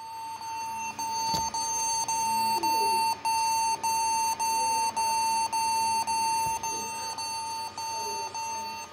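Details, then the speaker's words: Acer Aspire 4738G laptop at power-on: steady high beep about twice a second with short gaps; owner suspected keyboard, after reseating the keyboard connector it booted without beeping. "doesn't sound right it could be the keyboard freak down"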